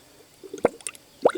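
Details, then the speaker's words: 1999 Honda Accord V6 EX, about 160,000 miles, engine stone-cold: cylinder 2 pressurized to about 75–80 psi makes two wet gurgling bubble plops in the coolant, confirming a blown head gasket on the rear bank. "me so we do have positive confirmation that's solar number two has a leak again less engine is stone-cold"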